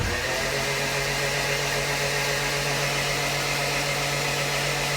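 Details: Freshly rebuilt turbo AWD Honda CRX engine (new sleeves, assembly lube on bearings) cranked on a jump box with fuel pump disconnected: an even, smooth, easy whirring crank with no compression pulses while oil pressure builds. Normal.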